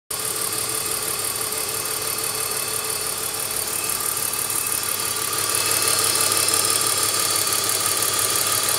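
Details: BMW E46 320i with the check-engine light on: a steady uneven stumble of about three beats a second under a hissy top end, logged as a cylinder 5 misfire with fuel cutoff; a defective ignition coil is blamed.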